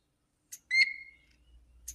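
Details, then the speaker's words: Vintage Hot Wheels R1NX gas go-kart carburetor, sat about 10 years: after cleaning and freeing the one-way valve and refitting the primer bulb, a clean high whistle of air shows the fuel pump passage is open and flowing. "But I put this bulb back in. I cleaned, we saw where we fixed that little one-way valve, but check it out now. Hear that? All right, that means it's flowing."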